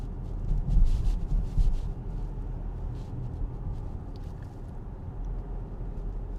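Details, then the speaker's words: Acura MDX with 40,000 km, after a dealer transmission replacement, in the cabin at 40–42 km/h with the fan off: low road hum with no whine above it; the transmission sounds quiet and healthy after the swap. "We're now at 40, 42, technically there. It's fairly quiet."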